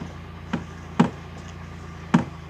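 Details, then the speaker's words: UAZ Patriot steering column knock when turning the wheel, only to the left: irregular dull knocks, three or four in under three seconds; torn rubber steering shaft support boot between engine bay and cabin lets the shaft hit body metal; fixed by replacing it. "вот в этой манжете которая она же является опорой которые находятся на рулевом валу и установлена в корпусе то есть между мотором моторным отсеком и тобин и по сути дела порвалась и брякает"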